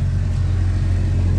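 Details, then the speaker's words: Car cabin A/C blower motor behind lower glovebox, A/C on full speed before repair; steady low hum with pulsing throb, really noisy with slight vibration felt; debris accumulated inside the blower motor unbalances it; fix is cleaning it. "you might be able to hear it in touch right here if you feel something a slight vibration is really noisy normally that's due to debris and stuff accumulating inside the blower motor itself"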